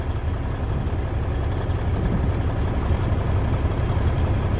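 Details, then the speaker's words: 1994 Freightliner FLB cabover, Cummins Celect N14 diesel, just revived with new injectors, not yet warmed up: deep steady idle with even low rumble, no knock or miss; owner suspects air compressor chugging slightly and an air leak popping the air valve. "Well, the good thing is it feels pretty good, except I think that's the air compressor chugging a little bit."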